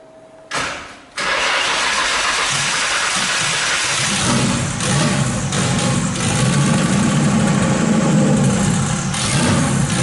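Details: RB26-swapped Subaru WRX, low battery reading about 10–11 V: brief whirr then long steady even churning at one speed that never fires; cranks but won't start, battery suspected, new battery to be tried.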